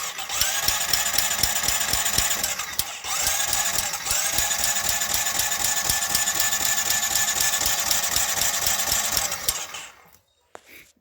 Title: 08 Honda rancher timing chain rattle. Ticking